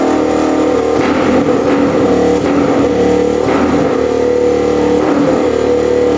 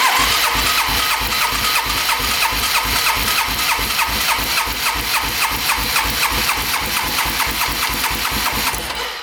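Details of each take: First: Rough 4x4 ATV sitting for years, first start after siphoning old premix-looking gas: runs on partial choke but bogs and sputters unevenly every second or so, dies with choke off; owner suspects not enough fuel, fuel screw to go out. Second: Long-stored rough 4x4 ATV, oil added to the cylinder, throttle open, compression about 160; even starter cranking at about three pulses a second with equal strokes, healthy compression; owner suspects the carb is the real fault.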